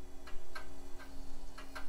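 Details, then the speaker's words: Mid-90s to early-2000s tower PC hard drive clicking sharply and irregularly on spin-up, sounding stuck but trying, while the system fails to post. A beep code suggested a video card failure. "that sounds very stuck sure sounds like it's trying though and we are not posting"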